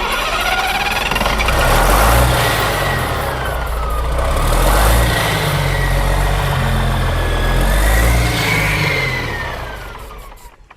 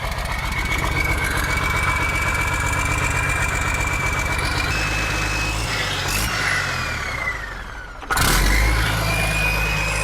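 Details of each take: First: Diesel with injector lines cracked loose to bleed air gives slow, even starter cranking at about four turns a second with only faint coughs. No fuel comes out of the lines: fuel starvation, cranks without starting. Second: Turbo diesel revived after tightening a fitting and switching off the engaged stop/kill switch: steady, even clatter at idle, revs sag then blip cleanly, and it keeps running smoothly with turbo sound. Normal running.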